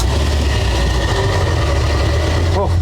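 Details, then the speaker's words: Old truck fired up: heavy, uneven low rumble at idle that never settles into a clean beat; it runs rough but keeps running, cause not identified. "she doesn't sound good still works we're gonna let that one go until it dies"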